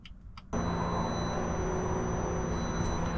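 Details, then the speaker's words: BMW F30 340i B58 after water pump replacement, electric coolant pump running during bleed procedure with ignition on before start: steady electric hum with a faint high whine, starting abruptly and holding even. "I actually hear it it's working so now let's start the car it should sit at 1200"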